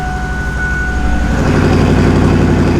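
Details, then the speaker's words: Turbo 5.0 V8 Ford Ranger, push-button start after new starter fitted: brief starter whirr, then a deep steady rumble with no rattle or screech, far better than before; vacuum and exhaust leaks noted afterward. "That's way better. Doesn't sound all rattly and screechy,"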